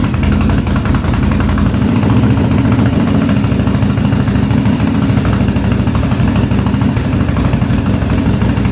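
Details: 1983 Yamaha Virago 920 barn find, after replacing a dead rear-cylinder spark plug: uneven, lumpy idle with beats dropping out; front cylinder cutting in and out, owner suspects fuel or failing plug, gas leaking, needs tune-up.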